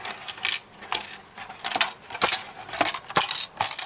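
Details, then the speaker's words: VHS cassette taken from a Sharp VC-MH75 player gives irregular bright clattering bursts, about two a second, when shaken; something broken inside the shell is rattling loose. "can you hear that a newly manufactured VHS did not have that like wrestling noise there's actually something broken inside it"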